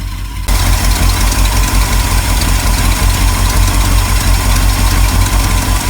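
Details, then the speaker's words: 1974 Ford F-350 crushed by a fallen tree, running: rough loud V8 idle with a puffing exhaust leak where the pipe joins the manifold, from a small hole in the pipe, not the manifold; accelerator pump also leaking. "now you will hear an exhaust leak that's not at the manifold that's where the pipe comes up and joins the manifold there's actually a little place in the pipe that's where it's blowing out at"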